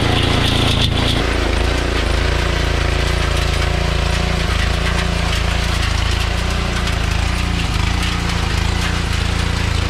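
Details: Troybilt Pony tiller, 5 hp Briggs & Stratton, after carburetor jet cleared with copper wire: engine chugging at steady working speed, even firing under light load; running properly.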